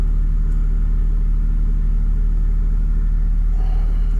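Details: Ford Mondeo ST220 V6 at 100,000 miles with K&N air filter, P0443 fault code stored: smooth deep steady idle rumble with even beat, no ticking or misfire; sounds healthy.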